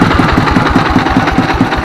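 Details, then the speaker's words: S1115 24 HP single-cylinder diesel that had thick black smoke and surging, unstable throttle; after the check, idle is normal and smoke is reduced, with a steady, even thump about five beats a second and no misses or knocks. "Baik sahabat ketika posisi stasioner ya ini gas ini bisa besar kecil besar kecil ya posisi stasioner itu tidak masalah normal ya"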